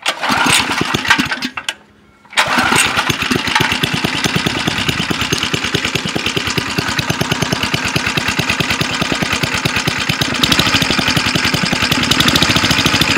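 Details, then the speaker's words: Go-kart small single engine after its no-compression problem was fixed and leaked oil was cleaned off. It fires after a brief stall and settles into a steady, even putter with no chatter: healthy idle. "Good, sounds good. This thing was running so poorly that that thing would have it would have done it by now if it was going to do it."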